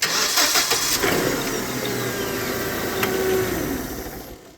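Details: Hyundai 25L machine with a hard-start complaint, after its starter circuit was repaired, started in neutral: quick, clean crank that catches at once and settles into a steady idle; a healthy start.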